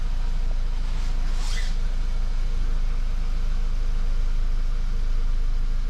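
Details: VW Golf Mk5, 50,000 km, after a rattle that began after a fuel filter change was fixed by cable-tying the fuel hoses moving inside the frame: a steady low engine rumble with no rattle.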